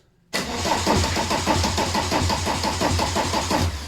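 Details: VW T25 camper with a swapped-in TDI engine and the gearbox now fitted, cranked in gear: even, regular starter cranking with steady compression beats, turning freely with no grinding. Normal cranking.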